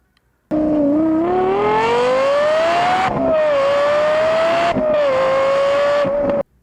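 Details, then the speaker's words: A conventional manual or automatic geared transmission, shown for comparison with a Toyota e-CVT: the engine note climbs steadily in pitch, drops sharply at each shift, then climbs again through the gears; a normal stepped geared pull. "Para empezar, una transmisión convencional, ya sea manual o automática, hace que el motor suene algo así."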